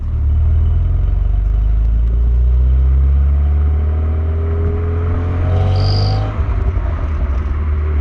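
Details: Renault Megane R26 230 F1 petrol engine while driving: a deep steady drone broken by a brief stumble, the infamous 'Megane cough', which remained after the injectors were changed.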